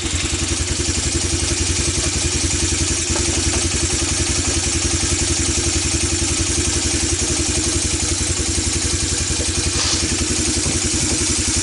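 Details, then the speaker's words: ATV that sat for years, single-cylinder, after carburetor clean, new plug and fresh gas: fast loud clattering beat about four per second with uneven firing; still running rough, needs tuning, cause unconfirmed. "as you can tell this thing isn't quite running right so we're gonna end this video here"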